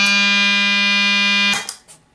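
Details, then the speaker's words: Op-amp Big Muff Pi clone pedal (Punk'n Pi build) that is clean in bypass: when engaged it gives a steady reedy buzz near 200 Hz that then cuts off dead. This is op-amp oscillation caused by an incorrect, oversized capacitor value. "listen to that that sounds an awful lot like an oscillation so let's see where the oscillation is coming from"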